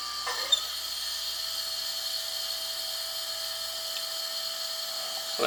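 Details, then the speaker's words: 2JZ-swapped Nissan 240SX, engine off: loud, steady high-pitched fuel pump whine as fuel bypasses back to the tank before the pressure regulator was adjusted; quieter once regulator holds pressure steady. "I turned the little adjuster on the top of the regulator and so now it's holding pressure steady um and it don't sound near as bad as what it did you can't hear the fuel pump as much"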